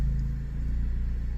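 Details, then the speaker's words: 2017 Jeep Patriot, 6F24 six-speed automatic, 142k miles, just after a fluid service with Amsoil Signature Series: a steady, even idle with no clunks, slips or whine while cycling drive, neutral, reverse and park. "Well, I don't hear any grinding metal or clunking parts falling on the ground, and it hasn't dumped out all the fluid yet, so I must have done something right so far."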